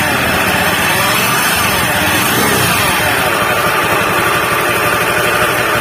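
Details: Honda Beat FI scooter engine running with a coarse, droning rough hum and no distinct knock; bearing failure suspected, with the hum said to rise when throttle is applied.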